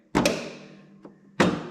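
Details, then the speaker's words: Toro TimeCutter zero-turn mower with an electric PTO, under repair after falling off a trailer upside down, deck engaged to test it: two sharp, solid bangs with a quieter tap between them. This is healthy PTO clutch engagement; a tiny click would mean low voltage or a weak clutch. "this has a electric PTO so I don't know you can hear that that click you can kind of Judge how good your clutches by how hard you hear that"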